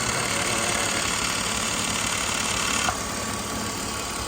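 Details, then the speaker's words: BMW Z3 Roadster engine idling with a loud gritty whirr, like an internal gear rubbing its pinions; it stops instantly when the idle actuator is disconnected, so the idle actuator's internal gearing is the source. "Como si tuviera por dentro un engranaje que el cual está rozando los piñones."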